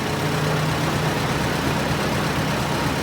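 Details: 1913/1914 Detroit-made Princess, first start in about 100 years, clutch freed, driving in first gear: steady low engine drone, gentle hum, no knocking or clatter; owner says engine runs nice and smooth; normal running.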